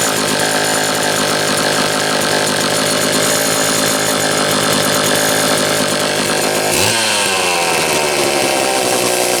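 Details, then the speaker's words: Homelite XL-123 chainsaw after condenser replacement fixed ignition popping and banging (flooding later traced further): clean, steady high-pitched buzz with no popping or misfires, then drops cleanly back down; running properly. "okay so finally as you can see finally this dirty thing is running right had all kinds of funny little issues the ignition problem did turn out to be this condenser once i've swapped that out it quit the popping and banging"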